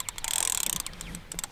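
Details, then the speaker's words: 60+-year-old vintage fishing reel: rapid fine ratcheting clicks as the handle turns, then scattered ticks; normal anti-reverse clicking that stops the reel from turning backwards. "This one has the anti-reverse, but it makes all these clicking sounds. Hear it? Anti-reverse doesn't allow the reel to go backwards, right?"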